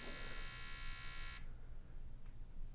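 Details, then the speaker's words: 2000 Ford Ranger 2.5 L four-cylinder with misfire, injector pulsed on a tester; steady buzz about 1.5 seconds then abrupt cutout, dying off like it sticks: sticking, faulty fuel injector. "But anyway, this is how I diagnosed this as a bad injector."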